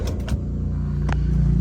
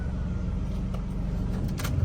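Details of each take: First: Toyota Vios that stalled while driving, fuel in tank, cranked after about a minute: starter cranks evenly but engine won't catch; presumed failed fuel pump, PSI fuse checked intact. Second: Car after fuel pump replacement for stalling and surging while driving with no codes, air-con on, no warning lights: steady, even low rumble with no misses, stumbles or knocks; normal idle.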